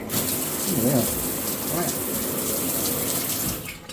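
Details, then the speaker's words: Delta Monitor 1500 shower valve after replacing its 1995 cartridge, which had screeched from the handle: steady rush of running water with no squeal or screech; valve now quiet and healthy. "there's a little bit of a gap here with this new one but I'm not complaining it doesn't squeak anymore so all right back in business"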